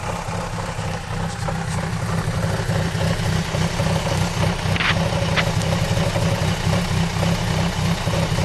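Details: XR4/ST150 at idle only: light, fairly regular knock about four per second, recent onset, seemingly from the front left of the vehicle; cause unknown.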